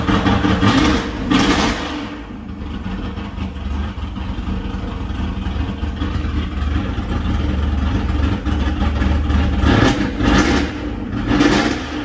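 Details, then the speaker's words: First start of an El Camino G-body with an LS swap and a Texas Speed cam: a lumpy, choppy idle that surges with throttle blips. It idles rough because it has no tune yet and is dumping a lot of fuel. "It's not idling good because it need a tune in it, but it run, baby. It run."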